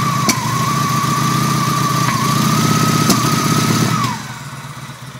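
Idle has an uneven, stumbling beat about three or four per second with a faint whistle until it shuts off; sounds like a misfire.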